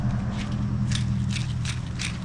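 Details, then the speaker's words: Clutch release (throw-out) bearing removed from a 2005 Toyota Tacoma X-Runner (4.0 V6, 6-speed manual) during clutch replacement: spinning it by hand gives a gritty, ratcheting rasp because it is worn out. "I don't know if y'all can hear that but this sucker is wore out"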